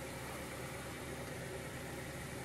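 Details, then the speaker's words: 2000 Honda Prelude SH, H22, first start in six months after taking it apart to fix a long-standing surging idle. Now a steady, smooth idle with no hunting, slightly high; owner suspects the throttle cable or a dirty intake, but tolerable. "it's a little bit high of an idol which I think could be the throttle cable or just a dirty intake or whatever the case but this is totally tolerable"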